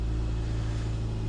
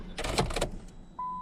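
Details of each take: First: Car that often wouldn't start after a tune-up, first start attempt after a baffling no-start fix, fuel pump heard priming: steady, even low hum with no misses, knocks or rattles, settling into a smooth, healthy idle. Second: Car that won't start after tune-up, on a super capacitor jump starter: short beep, then steady cranking about 3.5 turns a second for four seconds, never firing; fuel pump heard running, spark plugs found closed to zero gap.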